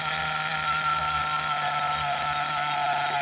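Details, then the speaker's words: SH PT21 .21 nitro engine in a Hyper 7 with a 2035 pipe, warming up in a wet grass field after the high-speed needle was richened to avoid lean bog: high, steady buzzing note that revs cleanly without sagging, with a good smoke trail; normal running. "our engine sounds pretty good we're going to listen for that lean balls right for right now she's she's looking happy"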